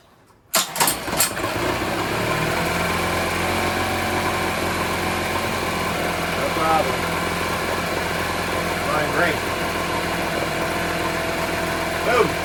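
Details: 1980s Honda BL100 four-stroke outboard rescued from trash, after carburetor cleaning: fires on first pull, then smooth even idle with no misses or knocks; normal start and idle.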